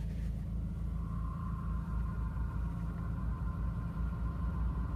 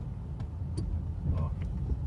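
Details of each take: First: Ford Focus with 48,000 km at idle: a steady high whine sets in once the clutch pedal is pressed, probably the clutch release bearing/actuator; clutch replacement planned. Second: Ford Focus after a clutch replacement with a new actuator and brake/clutch fluid bleed: a steady low engine rumble with no squeal, grind or chatter as the clutch pedal is pressed, also quiet when shifting into second and third; noise resolved.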